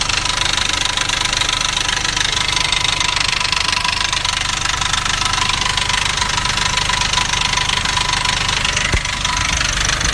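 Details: Nissan Navara D40 2.5 dCi diesel at idle: fast steady metallic rattle, three or four a second, mistaken for dual-mass flywheel rattle; actually a cracked intake manifold.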